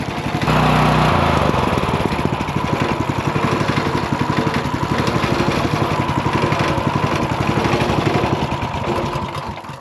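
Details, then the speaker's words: Ridgid RD80770 3800 PSI pressure washer after flushing tank and reverse-flushing fuel filter with carburetor off: steady even small-engine running at constant speed with no load, no misses, smoking slightly but running okay. "I mean, it is smoking a little bit, but not enough to like I don't know, man. It seems like it runs okay."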